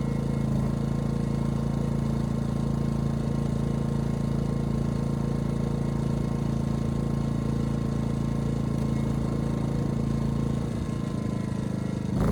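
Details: Ryobi RYI2300 inverter generator, 15 months old, after fix: stalling under heavy load solved by turning the easy-start knob further. Steady even drone, firm low hum, holds speed under load without hunting or dying; normal running.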